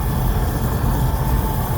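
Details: Oil burner furnace restarted after running out of oil, fuel line bled and reset pressed; steady low roar with faint constant tone, no sputter or pulsing; normal burner operation, flame holding.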